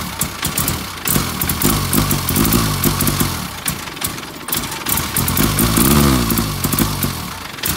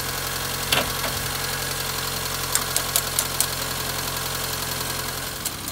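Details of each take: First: Austin Allegro after stalling on a drive: uneven stumbling running, surging and sagging with misses and crackles, only runs with throttle floored; spare coil fitted without improvement; sticking carburettor float needle suspected, cause undetermined. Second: Austin Allegro idling after a roadside stall, now running again with the carburettor mixture adjusted rich; points, distributor cap and rotor arm are poor, giving barely a spark. Even, steady idle with a low drone and no stumbling or misses; normal idle.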